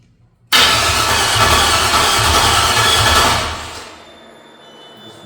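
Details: Untested 5.3 LS (third gen, 24x reluctor) with newly installed ACES EFI, no belt and torque converter unbolted: short crank, then catches and runs loud and even about three seconds before shutdown; fires and runs fine.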